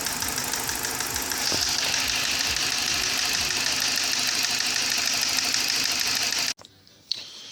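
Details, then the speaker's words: BMW E46 Compact with N42 engine, idling with low power and warning lights on: steady ticking of about three per second over a hissy idle; valvetronic controller internal error that could not be adapted after the valvetronic motor was replaced. "Eh bien, il n'arrêtait pas de générer une erreur interne du contrôleur valvetronic. Il était impossible de l'adapter chez Alvetronic après avoir remplacé ce moteur."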